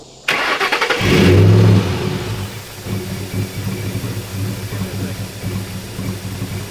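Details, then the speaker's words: 3-valve Ford Mustang just after a Roush cold air intake install: engine catches with a loud surge, then an uneven, lumpy idle with a sucking edge; a massive intake air leak. Once the leak was fixed, it cranked right up and idled normally. "Looking back at it, I can hear the air getting sucked in at just like a weird alarming rate."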